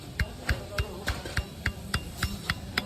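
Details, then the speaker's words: Old Royal Enfield Bullet Machismo 350 AVL engine, cylinder removed, crank rocked by hand: sharp knocks, about three and a half a second, showing worn main bearing play; crankshaft play knock. "और uncle इसकी अभी चाल check कर रहे थे आप भी सुनो ये जो खटखट कर रही हैय"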